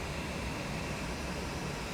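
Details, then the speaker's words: AMD Vega 56 graphics card after repair, running in a mining rig with an NVIDIA overclock profile: smooth even fan whoosh with slight higher hiss, no rattle or grinding; fan now accepts fan control command, display out and hash rate working; normal. "but yeah we're definitely getting we're definitely getting our fan controlled properly we're getting a display out and we're getting a hash rate"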